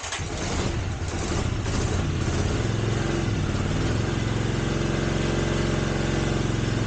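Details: 1983 Honda GL650, sat outside 30+ years, carbs cleaned, started on choke: catches quickly, steady even idle without misses or knocks, no smoke; normal idle.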